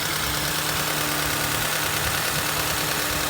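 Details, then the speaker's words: Honda Accord restarted after long storage with the accessory belt removed; owner suspects power steering and belt tensioner bearing noise. Even, steady idle, constant low drone, no knock or squeal; engine itself runs smoothly. "vou desligar o carro que vocês vão ouvir melhor mas o motorzinho sereninho cara que delícia"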